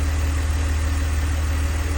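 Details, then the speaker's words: 2002 BMW 330Ci idle after secondary air pump shuts off: low steady even hum, no ticking or misses; earlier tick gone after plugs retorqued and coils swapped, cause unknown; healthy. "but that sounds like a perfectly healthy engine to me it's making some extra noise cuz the secondary air pump is running and that'll turn off in a second here and there it goes but that sounds nice and smooth to me"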